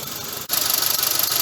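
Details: Mitsubishi Grandis engine at idle, uneven and pulsing with a hiccup about every tenth of a second and a sharp dip; a misfire, described as a known fault on the Grandis.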